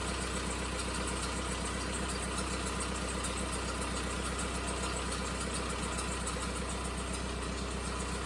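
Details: Volkswagen diesel after injection pump quantity adjuster seal replacement: settles into even, steady idle with low regular beat about two per second, no knocks or misses; normal idle.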